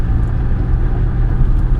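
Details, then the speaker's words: 2005 Buick Terraza after 4T65-E transmission replacement, highway driving in fourth gear with no slip: steady even road rumble, no growl or hum; previous growling gone, wheel bearing now quiet. "I got no noise, I just want to point that out, no noise. Other than just normal road noise. All that growling and shit, that's all gone."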